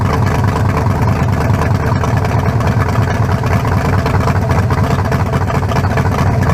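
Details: 1974 Nova's new low-compression turbo engine (40-over, 3.48 stroke, forged pistons; replaces a cracked-cylinder-wall 388): steady, even lumpy burble with no knocks or ticks, sounding better than the 388. Normal idle.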